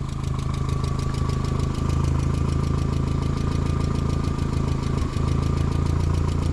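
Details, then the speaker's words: 2001 VW Jetta project car, oil had been empty, revved: rapid light tapping about four per second over steady engine note; owners think it's the valves rather than the lower block, unconfirmed. "it's still [ __ ] tapping pretty good ain't it huh it's still tapping give it gas"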